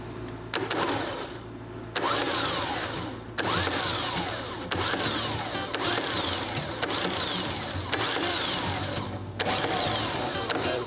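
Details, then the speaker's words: John Deere ProGator starter motor on the bench, jumped from a jump box, after teardown and greasing to cure a sick sound: short bursts of clean whirring spinning up and down smoothly, no grinding; healthy. "sounds a lot better don't it nice cool I guess we'll put it back in the machine and uh see how long it lasts"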